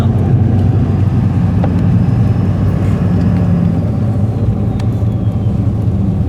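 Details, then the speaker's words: Chevy truck after replacing a blown, worn-out 300,000-plus-mile turbo: steady low rumble at idle with no whistle, grind or rattle; still puffing some smoke but much less than before, engine sounds healthy. "we're still churning that's a little better at idle yeah oh it ain't as bad as it was"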